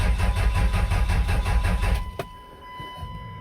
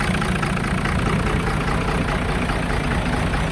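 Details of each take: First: 5.9L 24-valve Cummins, water-contaminated fuel found earlier: two seconds of steady cranking at about three pulses a second, no firing; scanner shows 110 rpm cam, 0 crank, suspected crank sensor or its three wires. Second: 5.9 L 24-valve Cummins with VP44 injection pump, after draining water-contaminated fuel, computer bypassed and pump hot-wired: steady, even low diesel chug at idle, no stumbling or knocks.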